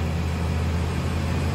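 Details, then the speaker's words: 1999 Chevy Suburban skipping at idle. The scan shows misfires on cylinders 5 and 7. The skip stops when revved and returns off the gas. A low idle rumble with a faint uneven beat. Misfire from low compression. "he misfires that's happening real time so as you can see one two three four got a bad fire on five nothing on six and we got a bench fire on seven nothing on eight"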